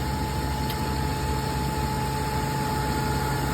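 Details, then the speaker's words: 2002 Toyota Tundra 3.4 V6 5VZ-FE after a year of intermittent misfire (P0300–P0306): after replacing 22-year-old seized spark plugs and sleeving a stripped cylinder two thread, steady even idle with no stumbles; normal idle. "look at that just need a freaking spark clug"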